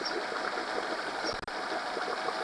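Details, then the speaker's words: Honda 8 hp 4-stroke outboard on a test stand in a bucket, troubled by ethanol fuel. After cleaning the idle jet and resetting the idle, it holds a smooth idle on its own at about 1500–1620 rpm, rising as it warms, with no stumbles. "sounds like the 1500 is this good 1560 1580 good speed for idling you know"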